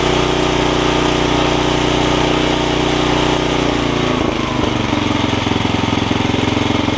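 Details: Snapper tiller with 5 hp Briggs & Stratton engine after stuck-valve fix, pull-rope bearing lubing, new carb diaphragm and jet readjustment: starts right up and runs steady and even, changing speed cleanly, no misses.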